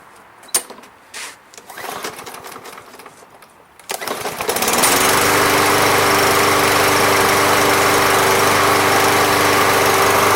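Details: Briggs & Stratton MTD lawn mower, previously a non-runner, after a Seafoam treatment: after handling noise, a pull-start catches into a steady, even single-cylinder drone with no misses; runs smoothly.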